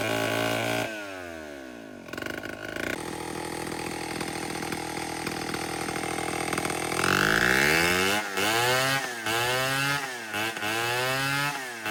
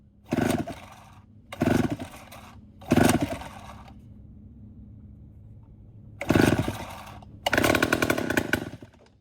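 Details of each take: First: Vintage Homelite 7-19 two-stroke chainsaw (late 1950s/early 60s) after carb cleaning, diaphragm still worn: steady idle, picks up cleanly on repeated throttle blips and drops back smoothly; runs pretty well for its age. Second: Vintage Homelite 7-19 chainsaw (late 1950s/early 60s) after carburetor cleaning: short ragged bursts of two-stroke firing that catch and die within a second; worn carburetor diaphragm needs replacing, so it won't keep running.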